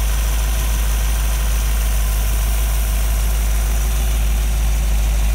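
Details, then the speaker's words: Model A Ford hotrod chassis with rebuilt 1965 283 V8, broken in, no street miles, S10 5-speed, quiet temporary mufflers: deep, even low rumble at idle with no knocks or ticks; good oil pressure, smooth idle. "The exhaust has been fabricated. Mufflers, they're very quiet mufflers, temporary hung, so the break-in period, you can hear the motor."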